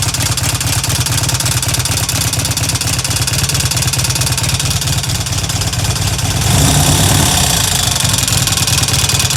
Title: Harley Evo ticking sound